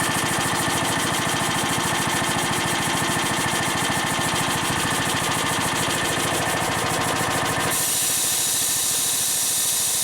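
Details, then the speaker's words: Harbor Freight air compressor with replacement pump, starting automatically: rapid steady pumping thumps about three per second, then stop and a sharp hiss as the unloader vents air at cut-out; working normally. "so as you can hear it it kicked in automatically I didn't touch it going to it's about to uh kick back uh it's actually the unloader is going to start unloading now"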